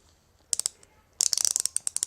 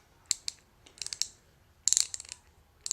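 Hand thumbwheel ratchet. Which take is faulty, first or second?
first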